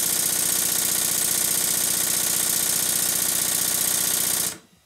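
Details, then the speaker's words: Stuart 7A model steam engine newly fitted to steam plant base, exhaust pipe not connected: fast even chuffs about four a second, light clatter, steady speed then stops; plenty of power, valve gear tightness wearing off. Normal running. "I think the engine sounds much better on the base body I won't connect to the exhaust pipe yet it's got plenty of power"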